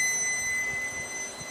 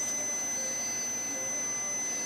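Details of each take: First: 2005 Pontiac Grand Prix, ABS codes C0041/C0245, right front wheel speed sensor wire tested pins 4 and 5 to disconnected brake module, meter on ohms with beeper: steady unbroken beep shows continuity before the suspected break is wiggled. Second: 2005 Pontiac Grand Prix, ABS codes C0041/C0245, ABS sensor wire at cracked loom: meter's continuity tone holds, then wavers and drops out when the harness is stretched, confirming a broken wire to be cut and repaired.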